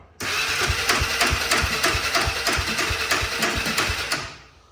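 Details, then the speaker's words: Honda 400EX single-cylinder engine swapped into Polaris RZR 170, first start with choke on: sharp metallic knocks about three per second while struggling to catch, running roughly then dying; attributed to starter clutch. "but now you hear that knocker that's starter clutch huh beating around"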